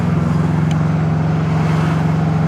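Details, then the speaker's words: Subaru STI after engine replacement, first drive under load, running about 11 air-fuel ratio: a loud, deep engine drone with fast, raspy puffing from a major exhaust leak. "I think we have exhaust leak. Can you hear it? Probably, yeah. So I guess I'll fix that. Oh yeah, we got a major exhaust leak."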